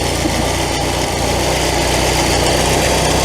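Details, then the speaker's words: Classic VW Scirocco carbureted petrol engine after sitting a year: fast, slightly uneven idle with a hissy whistle from a massive intake air leak; brake cleaner raised engine speed, and carb-to-base mounting nuts were found loose. "All right, that's the base. 110%. There's a massive air leak to the car."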